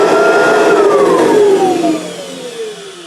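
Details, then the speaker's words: Kirby vacuum motor run with belt disengaged; steady high motor whine winds down smoothly after switch-off, no rattle or scraping; motor sounds okay, rattling suspected from brush roll or agitator fitment, normal motor run. "so that motor to my untrained Cirby ears sounds okay"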